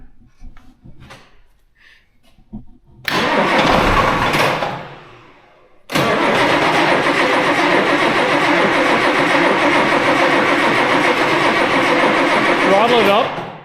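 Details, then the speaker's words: Tractor diesel after new turbo and injectors fitted for high EGT, air in fuel system: cranks and dies, pauses, then catches and settles to steady run; long crank from air in fuel. "θα χρειαστεί λίγος χρόνος για να ανάψει γιατί έχετε αέρα στο σύστημα, αλλά ας δούμε τι θα συμβεί"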